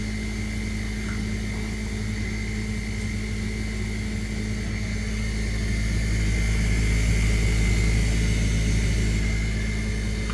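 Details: Maytag dishwasher, wash cycle only: loud steady low drone with a rapid rattling buzz about three pulses a second, suddenly started; cause unknown.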